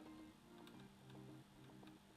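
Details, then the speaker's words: 1985 Tomy Chatbot robot, cord pulled out: faint, quick ticking whir of a small clockwork running down with little force, pausing momentarily at a clutch-like gear; owner suspects dry spindle joints needing grease, unconfirmed. "I think there is some kind of gearing on the red like some sort of clutch so it does sort of pause momentarily but I think these joints where the the spindles go into are just a bit dry and it just needs a bit more lubricant to get it spinning"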